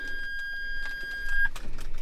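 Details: Flooded Ferrari 360 just washed, key turned: a steady high beep of about a second and a half with no cranking; the immobilizer is still armed, blocking the start until it is turned off.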